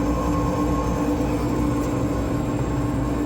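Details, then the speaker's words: 36-year-old Lennox G14 pulse gas furnace (LB-50527CC), which wasn't heating, blower now running during troubleshooting: loud steady droning rush with constant low hum, sounds bad, possibly on its last legs; noisy blower fan. "Right now, the that blower fan is still going, but it really sounds bad. I'm thinking that that thing might be on its last legs."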